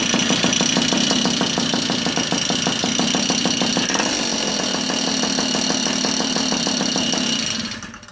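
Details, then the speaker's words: Tomos moped engine run with the transmission removed: fast, uneven rattle about three per second over a buzzy two-stroke run before it dies; rattle persists, so loose countershaft gear is not the cause, source unknown. "so I don't know the rattling still kind of sounds like it's there um so I don't know but maybe I mean so maybe the the rattling noise isn't a big deal"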